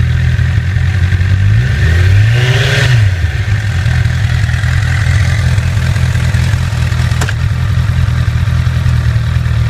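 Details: 2008 Honda CBR1000RR at about 29,400 miles: light metallic clatter at idle and on blips, suspected faulty cam chain tensioner. After the tensioner was replaced, the noise was gone.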